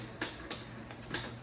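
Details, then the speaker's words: 1978 Bally Miss America Deluxe bingo pinball, control unit reassembled and switch stacks cleaned, drag arms tested at power-on: sharp irregular clicks about three per second over faint motor hum, sound pretty good; motor bouncing, loose nut; normal. "Looks like they sound pretty good."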